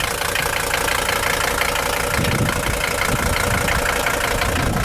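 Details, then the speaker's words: 1981 Mercedes-Benz 300D W123, 3.0L five-cylinder non-turbo diesel, left idling at night: steady, even diesel clatter with regular knock rhythm, no misses; healthy engine ticking over. "when I pulled up I figured I'm just going to leave this one running on the night one to where you can hear it hammer away awesome stuff"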